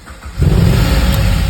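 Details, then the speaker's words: Holden with freshly rebuilt engine, after reflashing a corrupt BCM: quiet, then the engine catches at once into a deep steady low rumble with no misfire heard; clean start. "Want to hear it fire, that's it, because it's just had the engine rebuild done. So that's all I need to hear."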